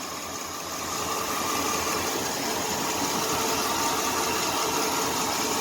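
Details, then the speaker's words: Dodge Dakota 4.7 V8, 127,000 miles, after timing chain replacement: even, steady idle with a smooth, regular beat and no chain rattle or ticking; no longer rattles; normal idle. "it doesn't rattle like it used to that's for sure so my job is complete"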